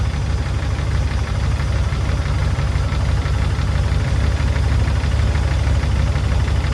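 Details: P38 Range Rover V8, stuck valve/lifter after sitting all winter, fresh oil with Liquid Moly and Rislone added, warming up at idle: faint irregular tapping about three per second over deep idle, mostly right side; sticking lifter or valve suspected.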